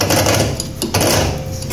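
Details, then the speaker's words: Kuba Valentino 50cc scooter engine with a fast sewing-machine-like clatter and grinding from inside; loose stator screws, top speed fallen from 70–80 to 50–60 km/h, and leaking valves caused the no-start. "motorumuz sargısının vidaları sıkılmadı andan kaynaklı öyle gır gır diye ses yapıyordu"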